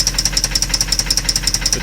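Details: Jaguar engine after an oil change with Dura-Lube additive, tried as a last resort to quiet it: a sharp, regular knock of about five or six raps a second over a steady idle. It still sounds bad, a persistent internal engine knock at idle.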